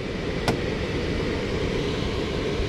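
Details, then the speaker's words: HVAC system with a newly replaced X13 blower motor after ramping up: a smooth, even rush of moving air with a low steady hum and no rubbing or ticking; blower runs healthy at speed. "yep here it goes yep she's ramping up y'all can hear that she ramped up"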